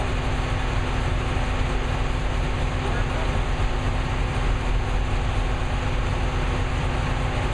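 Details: New V8 with a Lunati 60140 solid cam, warm, after hot lash adjustment from about .010 to .014 intake/exhaust: steady, even rumble with a low hum and no irregular ticking or misses. Healthy solid-lifter valvetrain at idle.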